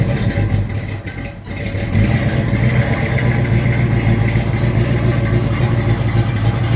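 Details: 1972 Mustang Mach 1, freshly rebuilt 351 Cleveland Cobra Jet V8 with Wolverine Blue Racer cam (510/536 lift, 290 duration), not yet warm; deep loping choppy idle then brief clean rise in revs; normal lumpy cam idle.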